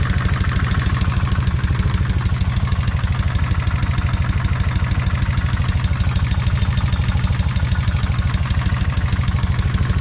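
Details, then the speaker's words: Kawasaki Vulcan 1600 warming up after drilling the rocker bolt to increase oil flow to the rocker arms: steady idle with a fast tick about three per second, a suspected valvetrain tap, quieter at the front cylinder than the rear. "You can definitely hear a tap here. Sounds like I can hear some tap, but it's not as bad as it is on this rear."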